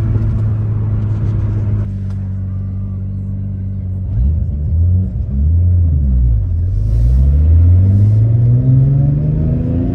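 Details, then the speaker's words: Nissan R34 GT-R (900 hp) driven at road speed: deep steady cabin drone with engine notes sweeping up under acceleration; ordinary tire road hum, normal. "sapık ya ses lastiklerden geliyor Arkadaşlar şimdi lastikler olunca Oo diye uğultu ses geliyor tamam Normal yani"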